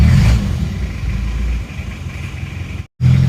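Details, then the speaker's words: Isuzu Panther Miyabi diesel after overhaul, at home after injection pump timing was retarded slightly: deep, even clatter settling from a fast run to a steady lower idle, no misses, now smoother and crisper with no smoke from the oil filler; normal diesel running. "akan kita dengarkan suara mesinnya setelah timing diperbarui dimundurkan sedikit suaranya lebih rata lebih renyah lebih halus"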